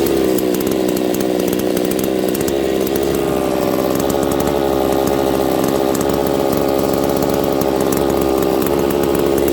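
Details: Husqvarna 268 chainsaw, open port, running lean: high, buzzy two-stroke held at steady speed changes tone when spray reaches the crank seal; crankcase seal air leak.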